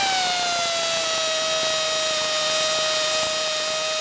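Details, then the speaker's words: Harbor Freight Central Pneumatic Earthquake impact wrench on new air hose from a full compressor: steady high whine easing slightly in pitch, a touch slow and uneven; owner suspects it needs more lubrication. "She might need some more lube, I think. Well, at the very least, it moves anyway."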